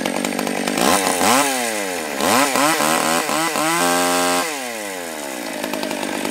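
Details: Stihl 020 AV chainsaw, first cuts after a carb rebuild, new gasket, clutch, chain and nose-bearing bar: two-stroke revs climb cleanly to a high scream under cut and fall back smoothly, no bogging or stutter; healthy saw.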